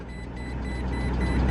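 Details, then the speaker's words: 2006 Maserati Quattroporte with DuoSelect transmission, sat for years, idling; short evenly spaced high warning beeps repeat over a quiet idle as the transmission refuses to engage, possibly because the hood and trunk are open. "transmission does not work wait chrisan what did you just say the trunk and the hood are open the hood was open this whole time"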